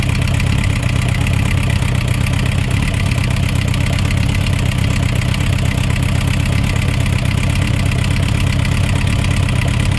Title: Suzuki Rf900 Engine Knocking Sound Issues